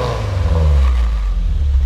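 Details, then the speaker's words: 1972 BMW 2002tii, already warm: engine revs up and eases back smoothly with no rattles or misfires; runs nice and smooth. "overall runs great runs nice and smooth go ahead and rev it up here"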